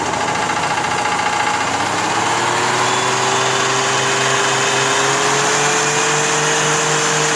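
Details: 1985 Cadillac Fleetwood Brougham V8 idling then rising slightly, with a rapid repetitive knock following engine speed; source unclear, engine knocking.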